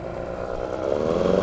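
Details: 9.8 outboard motor with a 'brake-like' whistle whose cause the owner is asking about. A steady mid-pitched whistle rides over the motor and grows louder as revs climb: squeal under load, cause unclear.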